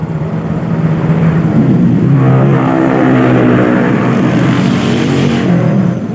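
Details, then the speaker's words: Yamaha Mio GT scooter fitted with imitation CVT parts, pulling away at low rpm with no throttle free play. It lurches forward with a shuddering drone of about four pulses a second. Weak clutch springs or over-tight clutch suspected. CVT judder on pull-away. "Ini digas sedikit langsung nyelonong. Nah ya, digas sedikit langsung nyelonong dan bergetar. Nyelonong motornya. Nah, getarannya ya. Getarannya parah."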